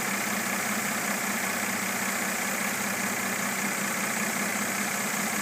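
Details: 2013 Mercedes-Benz E350 petrol engine idles with a fairly regular knock, about two to three beats a second, over a busy hiss.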